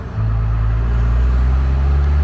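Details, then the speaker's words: Cummins diesel truck that wouldn't rev over 2000 rpm and lost power, after a new lift pump was fitted: a deep, even drone pulling up a long steep hill in third gear with no stumble. Decent, though perhaps not quite as it once was. "third gear that was pretty decent i don't know if that's quite what i remember it doing"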